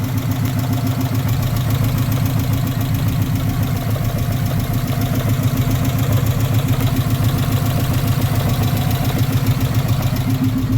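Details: 1994 Subaru Legacy 2.2L after new fuel pump, radiator and headers fitted, restarted with thermostat checked and cooling fans not yet working: steady, even low idle with a regular pulse about 3.5 per second and no knocks.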